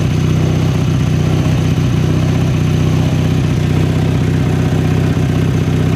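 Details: 1983 Sears Craftsman GTV/16 garden tractor, 16 hp opposed-twin Briggs & Stratton, running after replacing all idler pulleys and drive belts for a noisy drive; steady, even low drone with no squeal or rattle, drive sounds healthy.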